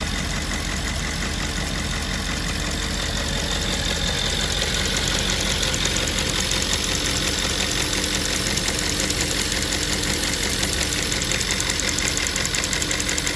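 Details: Audi S5 4.2 V8 2010 at idle, before the valve is replaced: light, fairly even ticking about twice a second over a smooth V8 idle, from a faulty fuel purge valve.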